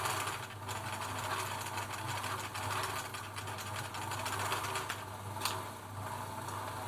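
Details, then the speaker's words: Singer 760 sewing machine (German-made 700 series) running after a single oil point on the dry hook race: even, quick stitching chatter, no harsh dry hook clatter, now smooth and well oiled; normal running. "Hear that? Quite a change in that already. Just one oil point. Quite important, that oil point."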